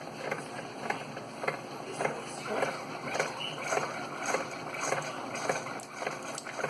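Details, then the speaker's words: Keurig 2.0 K300 coffee brewer with a mechanical pump, after repair (had not been pumping; cleaned with vinegar, coffee grounds cleared from a tube): regular soft pulsing just under two beats a second with gentle hiss while brewing a ten-ounce cup; normal pump operation. "We have coffee coming through. There it is. Ten-ounce cup."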